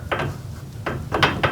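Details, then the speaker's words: Garage door after fitting nylon rollers and sleeves on all 10 rollers: door travel gives only a few soft, muffled clunks as rollers pass the hinges, no high-pitched metal rattle as before; rollers now running quietly. "and that's pretty much going to muffle all that rattling sound see that it is nice and muffled not one of those high pitched like what I showed you before"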